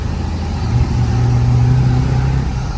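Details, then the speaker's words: Ford 7.3 Powerstroke diesel with new KC 300X Gen 3 stage 1 turbo, up pipes and deleted pedestal, fourth gear near 1,200 rpm slightly uphill: deep steady drone, turbo spooling quietly and smoothly, no whistle or surge. "I don't know if you guys can hear that turbo or not, but hopefully. We're just bumping along here in fourth gear, almost 1,200 RPM and a little bit of an uphill."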